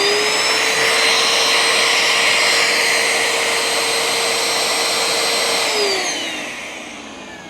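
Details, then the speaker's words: Bissell ProHeat Essential carpet cleaner, suspected of leaking, with some smell noticed: a steady high-pitched whine at an even tone, then a smooth wind-down at switch-off; no motor issues seen. "well I don't know about you but the motor appears to be okay I mean as far as I can tell at the moment"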